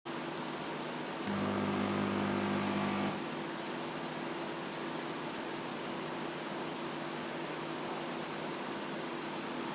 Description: Daikin Emura indoor AC unit makes a loud buzzing noise every 15-30 seconds. The contractors who installed said it was the condensate pump working on empty and their "fix" was pouring in some water, which did quiet it for a day or two.